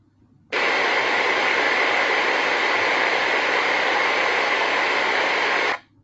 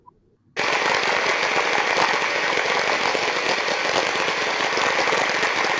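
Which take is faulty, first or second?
second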